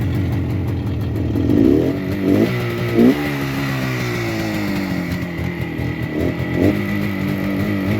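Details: 1972 Suzuki T500 Titan two-stroke twin, on fuel reserve, recently run but needing choke to start. Crisp burble with clean throttle blips settling back to a steady idle. Normal running after start.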